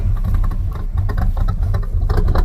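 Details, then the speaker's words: '86 Trans Am, fully rebuilt 305 small-block V8 (crank, cam, bearings, pistons), roller rocker top end, headers, Holley 650 carb, put in gear under load: deep, steady, even rumble with no knocks or ticks, healthy. "305, full rebuild. Crank, cam, bearings, piston, everything. Roller rocker top end. Headers. Holly 650 top."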